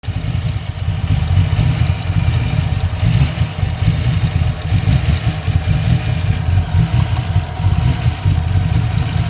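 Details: 347 V8 at idle: a deep, lumpy, stumbling beat with uneven pulses, a misfire. The owner suspects a vacuum leak; cause unknown.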